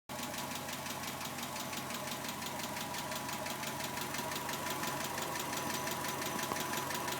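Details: 1991 Subaru Legacy SS: steady, quick, light ticking at idle keeping pace with the engine, seemingly from the driver side; owner suspects hydraulic lash adjusters, unconfirmed.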